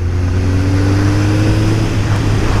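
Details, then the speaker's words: Suzuki GSX-R 1000 under acceleration after a first-cylinder problem, suspected rust-clogged injectors, fixed at a garage: strong, even rising engine note, all cylinders firing cleanly, no stumbles. "a moment moment of a pusher and the the bike goes it's a wonderful feeling I I can't express in in words"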